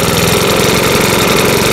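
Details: Makita BHX2500CA 4-stroke blower after oil change with new oil; idling fast and even, steady rapid putter with no misses or rattles; normal idle.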